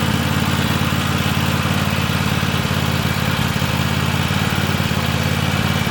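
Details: Free Weed Eater tractor, Tecumseh TVT691 two-cylinder, after oiling cylinders and oil and filter change, first run on gas, warming up: steady even putter at fast constant idle, no knocks or misses. Normal idle.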